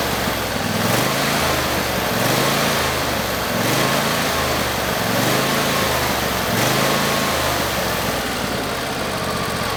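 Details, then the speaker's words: Husqvarna YTH22V46XLS yard tractor, Briggs & Stratton Endurance 22 hp V-twin, surging at idle, speed rising and falling every second and a half; winter-stored under a tarp; tune-up and fuel pump fix. "That is how it was surging. It's going high to low idle."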